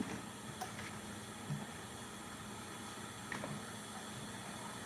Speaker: so it seems like the instant pot is coming to pressure you can definitely hear it hissing that's means it's working